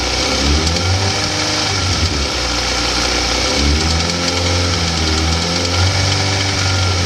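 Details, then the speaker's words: 2004 Suzuki GSX-R 1000 revved above about 3,000–4,000 rpm: a light, uneven rattle and popping that appears as the engine warms up; owner unsure whether it comes from the lifters, engine or timing. "It still sounds regular, but as it warms up, it gets a little rattly or popping."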